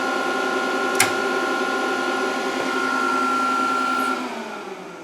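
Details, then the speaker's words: VFD cooling fan after input power is killed during capacitor reforming; charged capacitors keep the fan running about a second. Steady hum with a thin tone holds, then cuts out and fades as the charge drains. "And you can see it takes a second after I kill it for the capacitors to continue to run the fan."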